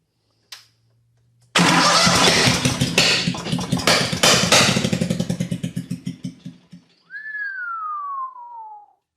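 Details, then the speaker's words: Miller Trailblazer welder with 27 hp Kohler engine that tries to start but backfires and sputters through the carburetor despite 150 lb compression; cranks into loud irregular popping and spitting fading to slow coughs, traced to a dislodged valve cap under the valve cover. "there's where all the Poppins coming from"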